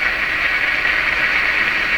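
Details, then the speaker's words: Nordmende Traviata 59 tube radio after replacing two IF-stage capacitors, tuned near 13 MHz European shortwave band: steady hissing rush with no station, interference from the furnace's DC fan motor running nearby. "Now that sound you're hearing, that is the sound of the fan in my furnace. My air conditioner is running right now. It's a DC fan that makes this interference."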